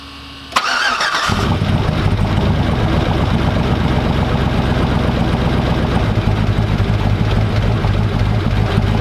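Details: Hummer H3 after 4L65E transmission and Truck Norris cam install, restarted while filling transmission fluid: quick crank, catches at once, settles into smooth, even idle with no knocks or misfires; healthy start.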